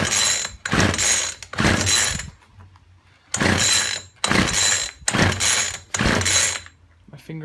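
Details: Poulan Weedeater Featherlite two-stroke strimmer, left standing a while, after fuel line replacement with the primer bubble full and fuel returning: six quick pull-cord rattles about a second apart, none catching. It cranks but won't start; the spark plug is checked next.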